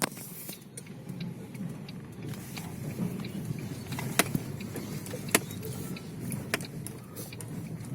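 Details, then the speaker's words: Lada Vesta driving on a badly broken road after dealer warranty replacement of the left stabilizer link and stabilizer bar: steady low rumble, only light cabin rattles, front suspension knocks gone. "тишина полнейшая звук издает только вот эта вещичка болтушка и вот небольшая икон канал балла а так тишина полнейший"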